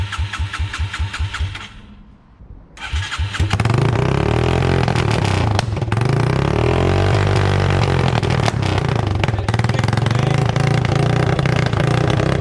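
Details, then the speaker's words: Yamaha TTR 225 dirt bike with rebuild almost done, no muffler, choked to start: cranks, catches and revs hard with sharp bangs, backfiring flames out the open pipe and dying; carburetor suspected. "it's backfiring it's shooting flames let's go put the exhaust pipe on"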